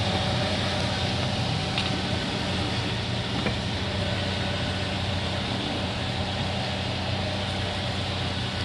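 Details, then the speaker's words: Toyota Rush, owner complains of noise when turning steering left or right: steady engine idle with soft tire scrub as wheel turns, no creak or clunk heard from either side; underside very dirty. "At ganun din negative pa rin siya sa inirereklamo ni customer na meron daw itong ingay."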